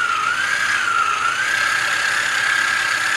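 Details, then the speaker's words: Autohelm Raymarine ST4000 wheel drive autopilot after drive belt repair, powered from 12 V battery charger: steady mid-pitched motor whine, no clicks, slapping or grinding; drive runs smooth and tight. "up on the battery you're not going to hear that noise like I said this is very smooth very tight it ain't going nowhere"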